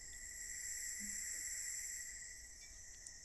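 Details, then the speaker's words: Portable air tank built from an old compressor, new pressure regulator fitted: steady high hiss continuing with the regulator fully closed, stopping when covered by fingers; regulator leaks past its seat, tank pressure dropping from about 50 psi. "This regulator's leaking even when it's all the way closed. If I put my fingers over it, the sound stops."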